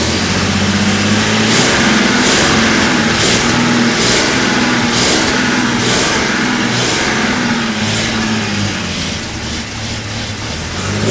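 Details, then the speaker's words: Jaguar XJC first start after rebuilt cylinder head installed, cold on enrichment carb: idle hunts and surges with hiss pulsing about every second; owner suspects mixture set slightly too lean. "oh now that's a success not running perfectly but for the first a I have here it's set a little bit too lean for this engine to seem"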